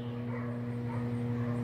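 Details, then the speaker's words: Electrolux washing machine that won't fill, started on a short cycle: steady low electric hum, even with no grinding or rattle, showing the fill pump is working. "Olha o barulhinho esse barulhinho pessoal quer dizer que a bomba está funcionando tá bom"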